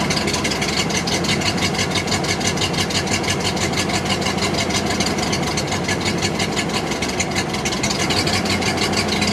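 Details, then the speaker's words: 1929 Ford Model AA Express barn find, first start after 30+ years sitting, no coolant, cold: slow, uneven chuffing idle with a lopsided beat; owner thinks it is down a cylinder; rough idle after long storage. "there she goes. She is running. Definitely seems like we're down a cylinder though."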